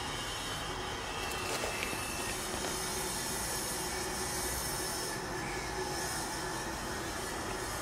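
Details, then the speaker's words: Bosch IDS 2.1 inverter heat pump outdoor unit, just called for cooling: steady rushing hiss with a faint high squeal as refrigerant runs through the lines returning oil to the compressor, done every start; normal oil-return cycle. "so what's happening right now is that it's running the refrigerant through the line and bringing the uh any oil home that might have gone out into the system and it does that every time"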